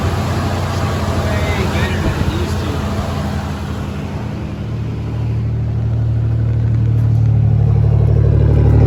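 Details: 1998-on Isuzu just restarted after replacing the fuel pressure regulator, rail pressurized by cycling the key: steady low engine drone that smooths out and firms up over several seconds, even firing with no knocks or ticks, running fine.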